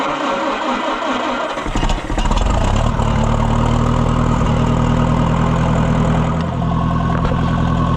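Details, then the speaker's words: Oliver 550 tractor during its tune-up, started on a jump box after previously dying: short crank, catches quickly and settles to a steady, even idle with no misses; runs much better. "a sweetheart. Listen to that thing. Fur much, much better."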